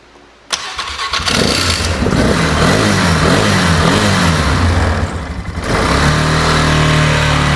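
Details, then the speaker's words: 2008 Polaris Ranger 500 UTV on a rigged-up, shot battery; owner hopes running it hard will clear it out, cause unconfirmed. Catches and revs, then sags and stumbles around five seconds before barely holding a low, shaky idle. Rough idle. "I think we need to get a good battery on here to go any further. I don't really feel like trying to troubleshoot it with it being all rigged like this, because it kind of feels like if I could take this out there and just open it up, let it rip, that it will clear it out and be good to go."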